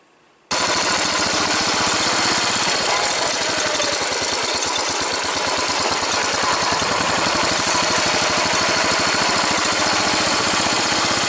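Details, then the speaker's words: Replacement engine pulling away slowly in first gear: a smooth, even pulse with none of the old engine's excessive valve noise (believed due to a warped valve) and no bottom-end knock on takeoff; a healthy engine. "alright let's listen to the stark difference now with the new engine as opposed to the old engine with all its issues that were looked you'll notice no knocking on takeoff"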